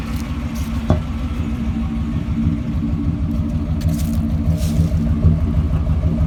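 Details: 1989 Chevy Silverado truck engine idling with a deep, uneven rumble and a loose clattering pulse about three times a second; owner asks what the strange noise could be.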